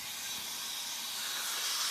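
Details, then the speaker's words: Engine being converted to propane, fuel solenoid energised before starting, engine not running: steady sharp hiss of gas from a cracked, dry-rotted, pinholed propane hose leaking under pressure. "all I got to so I've got a leak in this house so I don't know what's going on there but oh it feels like it's cracked"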